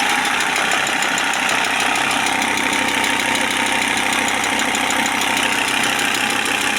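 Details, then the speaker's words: Audi A6 C4 2.5 TDI diesel, warm at about 50°, idling: an intermittent light ticking about three per second near the injection pump over the clatter. Source unconfirmed; the engine also smokes and the turbo is worn. "вот где-то здесь вот непонятно или насосе вот цок у неё есть какой-то цок цок цок цок цок"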